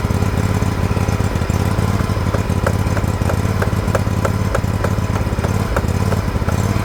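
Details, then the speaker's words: Liquid-cooled Kawasaki twin, John Deere LX178 project mower: fast idle with uneven, lumpy beat and faint ticking; carburetor flooding over, leaking fuel onto the muffler, so a new carburetor is being ordered. "it runs the engine's great it's flooding over something terrible actually leaking fuel right out onto the muffler"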